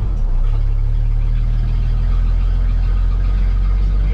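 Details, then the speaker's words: Old cabover truck, jump-started after pouring fuel into carburetor and adding gas, owner suspects it was low on fuel: loud, low, steady idle with even beat, no misfires or knocks; running properly. "well obviously as you can hear we got this thing running i had to dump a little bit of fuel in the carburetor and uh added some more gas because i just don't think i had enough in there"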